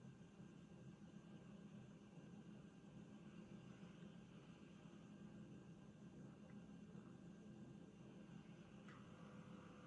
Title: Revox B77 MK2 motor vibrations/buzz noise on idle. Reels are spinning after 30 seconds or so